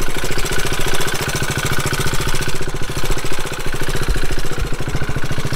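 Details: Motorcycle at idle with steady, rapid, evenly spaced mechanical clacking that follows engine speed. It was run on the wrong oil, and metal chips were found; that cause is suspected, not confirmed. Chips will be rechecked after 500 miles.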